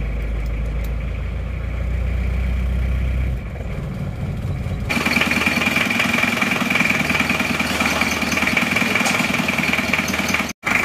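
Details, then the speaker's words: Isuzu Panther 2.3 diesel, first start after engine rebuild with seized liners, rings, head gasket replaced and reused original liners: starts and idles evenly but with a loud, hard rattling knock; injection pump timing too far advanced, to be retarded slightly. "hidup rata tapi ini rasanya timing gosong masih terlalu maju ini suaranya agak keras atau Kelihatan sekali kalau timing bokong ini terlalu maju"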